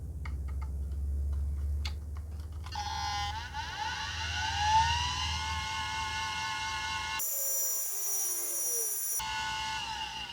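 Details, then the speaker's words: Compaq CP3024 20 MB hard drive from a Compaq Portable III, unused since 1997, powered from a bench SATA/Molex supply: motor whines up to speed with no head click or seek, winds down, then retries. Stuck heads, spin-up without seek. "There's no head click like a hard drive would normally do at startup, where it seeks the head and tries to do its initialization process. All you're hearing is the platters of motors spinning up."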